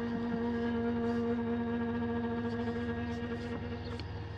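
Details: Astro-Physics Mach2 mount slewing at 1800 Go-To rate from the west side to park 3: steady buzzy motor hum with vibration felt at the RA axis and motor; one motor stall shown.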